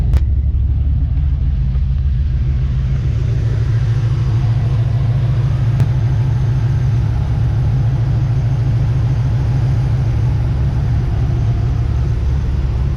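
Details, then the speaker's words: 1991 Chevy S10 with swapped 5.3 LS V8, all-new exhaust with dual-spin square mufflers, heard at the tailpipes; owner notes slight hesitation at upper end. Deep, even rumble, steady idle, no rasp or ticking: healthy exhaust note. "but this thing sounds like a beast and it's fun to drive"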